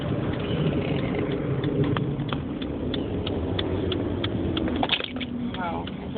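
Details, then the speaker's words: 2005 Dodge Neon stopped at idle after cruising at 55 mph: a deep, uneven thrumming drone that rises and falls as if surging. It is quiet in third at 40 mph. The cause is not yet found. "that's a horrible thrumming noise at idle sounds like it's kind of surging"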